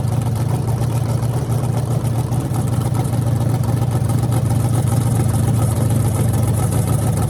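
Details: Freshly rebuilt small block Chevy 350 (355) for an OBS Chevy truck, on an engine run stand with open headers: deep steady lopey idle with crisp revs, smooth and even. Normal idle.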